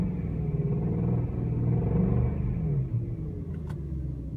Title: Rod bearing (?) noise after VAC bearings install (2)